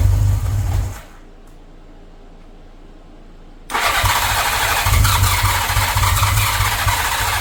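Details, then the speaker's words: 1983 Honda GL1100 Gold Wing, barn-stored 9–10 years, started after fresh gas and refilled carb float bowls: cranking, a short quiet gap, then it catches and settles into a steady, even running rhythm. Normal start and idle. "now this just tells you Honda is where it's at I cannot believe this thing started that"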